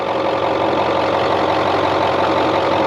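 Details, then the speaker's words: 1996 Ford F-250 7.3 Powerstroke sitting 10 years, after fuel was added to the front tank, glow plugs in use: uneven chugging at roughly two beats a second while cranking as some cylinders catch, then it starts and runs. "seems like part of it wants to start so let's see what these bow plugs hey there it is"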